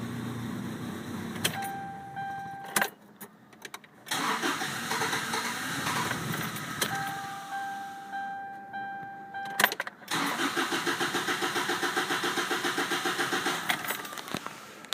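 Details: 1998 Toyota Tacoma with intermittent no-start: steady cranking bursts at about four beats a second, engine never catches; flooded, over-fuelled crank no-start.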